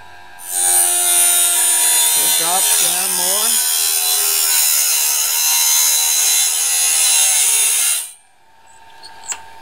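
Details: Norwood band blade sharpener with the gullet height adjustment dropped possibly too far: a steady high grinding whine as the stone bites deep into each gullet, heavier than it should be. The gullet may be set too deep and is to be raised slightly.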